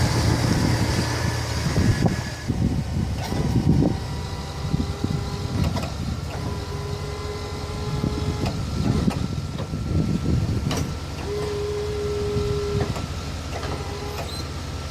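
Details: Truck idling at -35 °C with a newly installed aftermarket 12 V Western plow pump motor, replacing the failed old one: short bursts of steady electric hum as the plow raises and lowers; normal plow pump motor operation.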